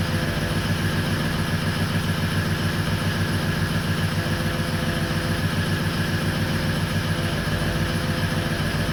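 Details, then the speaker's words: 2004 Ford 6.0L Powerstroke diesel, crank no start that starts only with the ICP sensor unplugged: deep, loping, uneven idle. Rough idle from excessive injection control pressure, stuck around 1400–1500 psi. "unplugging that ICP sensor will get this thing to start now granted it doesn't run great because you got too much pressure um at idle"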